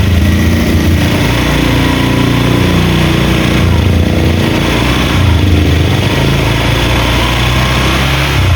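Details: Honda Vario 125 after repair, radiator checked with no bubbles: even smooth low thrum at idle with clean throttle blips, no knocks or rattles; normal idle and revving, no longer rough.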